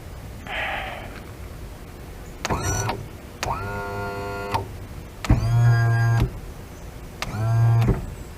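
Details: Restored 70hp Johnson outboard power tilt and trim motor, with intermittent up/down and weak feel, powered directly from battery; short bursts of steady electric hum starting and stopping cleanly, no grinding; motor runs smoothly.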